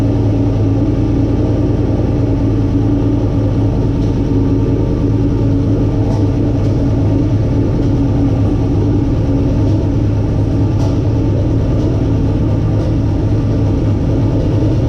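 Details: Turbo LQ9 V8 in a 240SX, first start after rebuild and reinstall: deep, even rumble steady throughout, no knocks or ticks; clean healthy idle.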